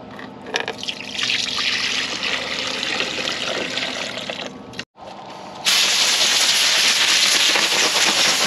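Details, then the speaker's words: 1984 Ford F150 with carbureted 302 V8 and automatic, parked since about 2011, a belt missing; loud steady hiss jumping louder after brief cutout, brake booster leaking vacuum at back side, to be replaced. "because we're going to have to do that booster it is just leaking vacuum like crazy at the backs side"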